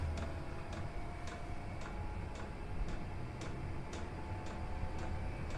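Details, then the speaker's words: Chinese diesel air heater starting up, glow plug warming: even crisp ticks about twice a second over low rumble, normal dosing-pump pulsing, mildly annoying; others quiet it by boxing or wrapping the pump. "A little bit annoying, the pulsing that comes off the pump. I saw some people on YouTube that have solved the problem of the noisy pump by putting something round it or putting it in a box, and you don't hear it at all then."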